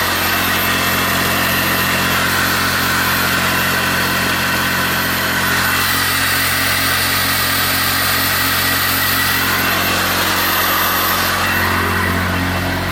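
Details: Smart car engine started after repair work, before being lifted back into place: smooth, constant idle with an even hum and no misfires or surging; normal idle, though the gearbox then failed to select a gear.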